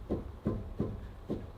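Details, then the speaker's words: Land Rover Discovery 3 (LR3): dull, hollow clunks about every third of a second as the tire is rocked, from a worn inner tie rod; wheel bearing ruled out; steering rods to be replaced. "and you can hear the knocking to make sure it's not the wheel bearing you can take open on the top and the bottom and this is it's not moving it's not the wheel bearing but it's the steering wheel"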